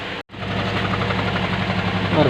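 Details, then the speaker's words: 2008 Toyota Allion 260 1.8 with a misfire, before finding the cylinder: idle has an uneven, lumpy beat with occasional stumbles and visible engine vibration. A cylinder is misfiring, to be located by unplugging injector connectors one by one. "It has a misfire. I thought I'd share with you how to find it."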